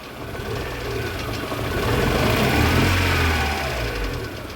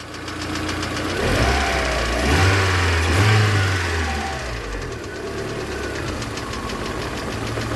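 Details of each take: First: VAZ 2112 petrol engine, warmed up, running rough and lumpy as the misfire begins, stumbling on throttle blips; owner suspects the ignition module, whose resistance read below spec. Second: VAZ 2112 petrol engine idling fairly steadily while the ignition module connector is pressed for good contact; releasing it brings back the misfire on one cylinder and a petrol smell from the exhaust.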